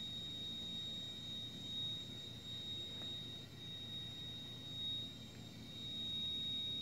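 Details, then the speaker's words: Wolf 48-inch gas wall oven, bake burner lit: a steady, piercing whistle like an alarm over a soft burner roar. A technician blamed high gas pressure and lowered it, but that didn't help, and the cause is still unknown. "person who came here to repair the said it's high gas pressure and he lowered the pressure from the gauge however that didn't help at all"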